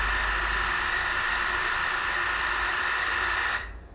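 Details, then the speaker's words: Megmeet Mite series inverter AC PCB on quick start: the outdoor fan relay switches on, then a high electronic whine over a steadier tone for about 3.5 s as the compressor tries but fails to start and cuts dead, with an error shown on the blinking LED. Inverter compressor out-of-step fault. "तो देखा आपने कि compressor जो है वह start नहीं हुआ लेकिन आवाज करने के बाद बंद हो गया और इसमें एरर जो है वह क्रिएट हो चुका है"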